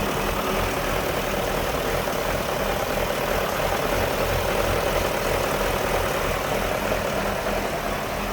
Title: 1999 540i rough idle video 1